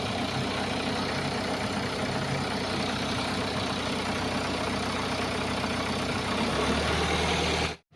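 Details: Hyundai Accent CRDi diesel after a cranking-only hard-start fault: steady, even idle with a smooth low rumble, no misses, knocks or hunting; the engine sounds healthy.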